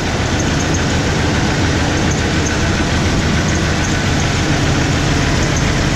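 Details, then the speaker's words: 1994 Ford F150 4x4 petrol engine at idle: faint, irregular high-pitched squeaking from the accessory belt drive. The alternator was just replaced. There is no squeak with the belt off, so it is an accessory, and the owner suspects the pulleys. Replacement pulleys are pending. "So in a couple of days, I should be getting the pulleys for this and eliminate that squeaking noise."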